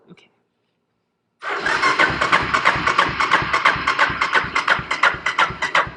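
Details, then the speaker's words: 1985 Honda ATC250ES Big Red three-wheeler, oil drained for an oil change: starter turns the engine over in even pulses about three a second with no firing, pumping trapped dark oil out of the oil pump; normal dry crank. "the oil pump has some oil trapped in it isn't very much but I often turn over the motor with no oil in it just to just pump the oil pump"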